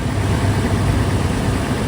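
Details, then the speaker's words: 2019 Toyota 4Runner Limited just after oil change with 6.6 quarts 0W-20 and new filter, heard from under the vehicle: steady, even low rumble with no knocks, ticks or misses; runs good, no leaks, normal idle. "All right, guys, so we're up under the car. She's running good, as you can see. No leaks."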